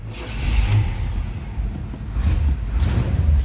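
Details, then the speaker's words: 1971 Chevrolet El Camino, 5.7 block made into a 383 stroker per previous owner, fired up: deep V8 rumble with quick throttle blips, revs rise and fall cleanly, exhaust not too loud; normal start and rev. "Nice running car. Sounds good. No crazy exhaust, anything too loud over the t"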